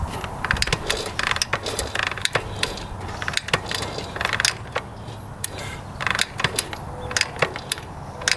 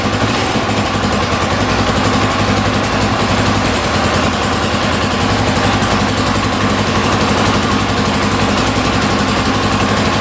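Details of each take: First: 1982 Honda XL500R dirt bike, believed stored about six years, being kicked over: irregular ratcheting clicks and knocks with no firing, turning over but not starting; cause not yet confirmed. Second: 1982 Honda XL500R single-cylinder, just started after carburetor cleaning, a little cold-blooded, throttle slightly adjusted: even steady idle, no knocks or misses, no smoke; healthy idle.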